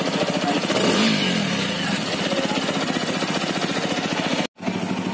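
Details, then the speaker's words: TVS Apache RTR 200 4V BS6 single-cylinder, under a year old, after service tightened loose cylinder head nuts that caused head tapping after a long ride: revved in neutral, revs rise and fall cleanly with even exhaust beat, no tapping. "तो अभी मैं गाड़ी मेरी वाशी से चला के ला रहा हूँ और अभी साउंड सुनो। सो अभी गाड़ी बराबर चल रही है।"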